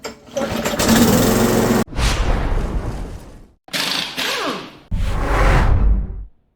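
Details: Briggs & Stratton L-head, restarted after fixing a stuck auto choke: fires and runs in short bursts with quick throttle swells and clean cutoffs; starts and runs normally.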